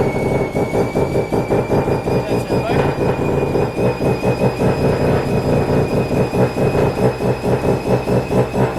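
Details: Mazda FD RX7 RS Series 8 bridgeport rotary with Hypergear T51R single-turbo conversion, first start, untuned, open dump with no muffler: very loud, raw pulsing idle with whistling tone over it; big exhaust leak at the unseated turbo V-band clamp.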